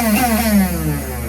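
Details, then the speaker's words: NOMA 21-inch single-stage snowblower, 4.5 2-stroke, electric start tested: brief electric whir falling in pitch, engine not turning; starter motor spins but Bendix gear doesn't engage flywheel teeth. "So that sound is the starter motor cranking, right? Or moving or working, but the Bendix gear is not either shooting up or pulling down to match the teeth of the flywheel."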